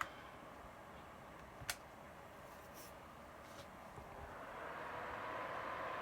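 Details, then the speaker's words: Overheating PlayStation 3 CECHC03 (backwards compatible) after thermal paste replacement and 3D-printed Eraser Mod brace; fan set to target about 72°, soft airy hiss climbs as fan ramps from 35% to 37%, then should drop back; normal cooling response. "and you can hear the fan ramping up there so now we're at 35% 37 it will come back down again it's because the um the computer is trying to get itself down to 72 72 where I just set it or 71 and then it should go back down to 35 again"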